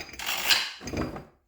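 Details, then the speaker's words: 1977 Poulan Micro 25 chainsaw that sat at least 20 years: two hand pulls give a smooth, even ratcheting whir with no binding; the engine spins freely and isn't stuck. "so it's not stuck that's a good start"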